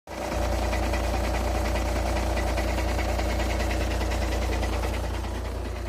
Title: Стук на холодну, Шкода А5, 2.0 тді 125квт